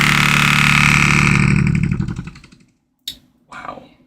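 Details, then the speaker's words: Second-generation Apple HomePod in for repair. Loud playback comes out harsh and buzzy with a fast rattling pulse, then cuts off: distorted speaker output, cause not stated. "got CJ with a second gen. That sounds awful."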